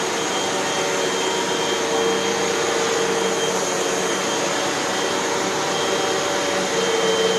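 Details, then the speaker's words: Hoover WindTunnel 2 Whole House Elite with a 12.5 A Ningbo Da Chang motor, after two new brushroll bearings, a new belt and three feed-tube patches: steady, even motor whine and smooth airflow rush, no rattles or grinding; runs healthy. "and we have a machine that works just fine as far as i can tell let's take it for a test run"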